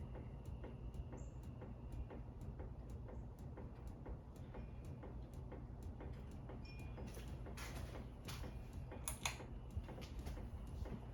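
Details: Harbor Breeze Centreville ceiling fan running with a steady ticking of about two a second. It wobbles because one blade is bent up, and still wobbles slightly with the mounting bracket tightened; it also has a slightly bad capacitor, only on high.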